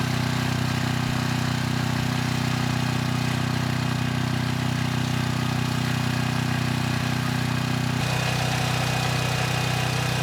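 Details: 6,000 watt Troy-Bilt generator after repair, 15-minute run with a 3000 watt load and 240 volts at the 240 outlet: steady, even drone, no misses, surging or hunting, didn't miss a beat; normal running under load.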